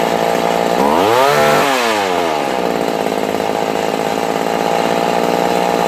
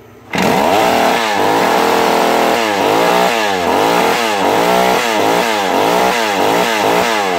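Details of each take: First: Vintage McCulloch Mac 110 two-stroke chainsaw (2.0 CID), restored after sitting in water at a dump. After idle adjustment it revs to a high steady scream, then holds an even buzzing run without missing: normal running. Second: Vintage McCulloch Mac 110 (2.0 CID) chainsaw found at a dump sitting in water, first run after restoration: high buzzing idle with a rapid warble after the idle was turned up too far; idle speed set too high.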